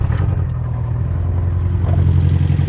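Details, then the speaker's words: Abarth 500/595/695 idling lumpy with an uneven low beat from a misfire. Unplugging each coil pack in turn, cylinder one's tone changes, so that cylinder is firing fine; the misfire lies elsewhere. "first off, we'll go to cylinder one. Straight away, you can hear a change in engine tone. So, that one's all good."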